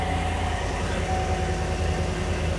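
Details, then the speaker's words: Engine idling rough and uneven with a stumbling thump from a misfiring cylinder, shaking badly and washing the cylinder with fuel; a stuck-closed intake valve was previously diagnosed, with catalytic converter damage a concern. "you can feel a misfire in that motor it's terrible"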